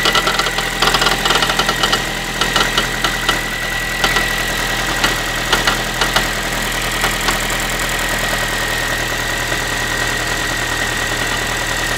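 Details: Ford Focus 3 1.6 (125 hp) after a cold start: light, irregular tinny, pan-like ticking and rattling over a steady idle; the owner can't identify the source of this metallic engine knock.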